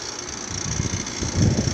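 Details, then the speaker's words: Trane XR outdoor condenser unit running: fan roar with loose, uneven low thumping that builds toward the end; something is rattling, cause not pinned down. "That carrier sounds Oh, it's that XR. It's XR sounds really bad. It's rattling. That doesn't sound good."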